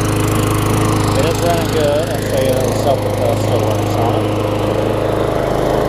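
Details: Tecumseh-powered Craftsman self-propelled mower, running after fixing a wet air filter: small single-cylinder engine holds a steady, even drone without surging or sputtering; normal running.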